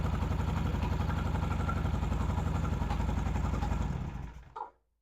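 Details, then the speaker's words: Vintage British motorcycle twin, started and revved: rough uneven beats and coughs before dying, gasoline spitting back out of carburetor; intake valve on that side suspected, valve clearances to be checked next; carburetor spit-back. "Wow, did you see all that gasoline splitting out of the carburetor?"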